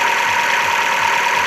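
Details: Opel Astra H three-door hatchback, Z16XEP 1.6 engine, after intake manifold repair for a knock: even, steady idle with a regular soft pulse and faint hiss, no tapping or knock; engine idles cleanly.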